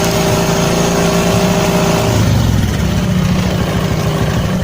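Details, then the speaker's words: Honda Karisma carbureted motorcycle after adjustment, idle speed reduced; steady single-cylinder putter starts a little high then settles to a lower even idle with no popping or hunting: normal idle, combustion normal. "Well, now it's about to slow down, friends, so the fuel and combustion are normal. It's not like it was slowing down. Yes, it's normal."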